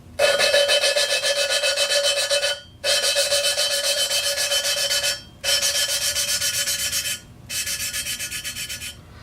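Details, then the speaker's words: Hand-lapping a valve with lapping compound into its seat on a 6.0 LS (317) cylinder head during a valve job: four bursts of gritty, rasping grinding, pitch changing as the valve seats; lifted and redone about five times. "I've been picking mine up about 5 times and redoing it about 5 times, so as soon as you pick it up and start over again, you're going to hear that grinding noise until it goes all the way back down, until it's seated all the way."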